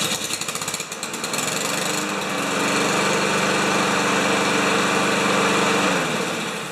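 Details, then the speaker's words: Lawn Boy mower with 160 cc engine and automatic choke, after carb cleaner sucked old goo from the carburetor: pull-start catches within a second, quick even buzz settles and holds steady; normal start and idle. "sucked up the old goo out of the carburetor and now it's uh 10 times out of 10 on the starting"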